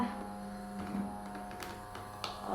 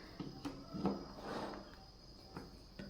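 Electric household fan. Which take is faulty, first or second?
second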